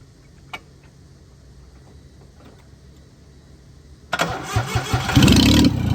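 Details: 1996 Geo Metro three-cylinder, 5-speed manual, first start after fuel lines bled: cranks, catches and runs with a loud, surging roar that won't hold idle off the gas; owner suspects missing idle air control parts.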